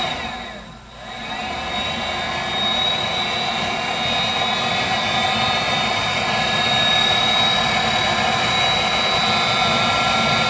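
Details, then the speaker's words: Viessmann Vitodens 200-W WB2B35 condensing boiler, about 5 years in service, in its intermittent hung failure state with no fault code: steady whir of blower and circulator pump with a faint high whine, but no burner roar; the boiler won't recover. Cause unknown. "okay we're back a short time later and we're in this this hung State now where the bow is no longer going to function"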